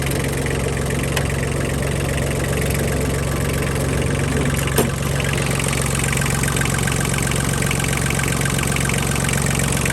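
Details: 1998 Kubota B1750 diesel 4x4 tractor with snowblower, hotwired start after battery boost: small diesel holds a steady even idle clatter for ten seconds, no misses, knocks or hunting; runs normally.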